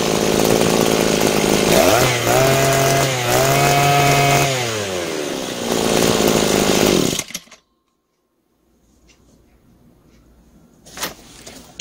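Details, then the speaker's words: Butane gas-powered brush cutter after carburetor repair (cleaned, diaphragm, gasket, throttle valve, new spark plug; previously started but wouldn't run): buzzy two-stroke pulls up cleanly over several throttle blips, settles, then shuts off; smooth, responsive, normal running. "Hãy đổ ga và nổ máy. Hãy mở van động cơ đang tăng tốc và đang được điều chỉnh."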